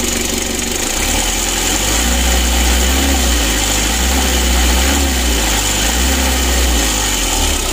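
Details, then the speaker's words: Mitsubishi L300 diesel idling after a rough idle was fixed: deep droning hum under the clatter; timing belt cover opened, belt judged loose, moving too much and touching its cover. Droning hum from loose timing belt. "menurut saya tameng Belnya juga kendor jadi ada pergerakan terlalu banyak sempat menyentuh dari tutup"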